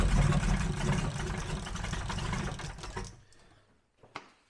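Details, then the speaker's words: Abandoned Jaguar XJRS V12 on a makeshift fuel supply at full fuel pressure: heavy, lumpy running that then dies. It is flooding and running full rich; the ECU temp-sensor wire trick made no difference, and the cause was not found. "So there's something making this thing just go full rich f"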